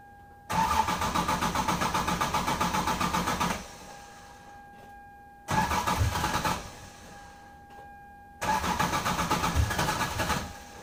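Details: 1996 Lexus SC300 2JZ, factory manual W58, on a chilly 60°F day before fuel pump ECU bypass: three long cranking bursts about three seconds each, starter chugging ~six per second, no catch; extended cranking, hard start, worse when cold.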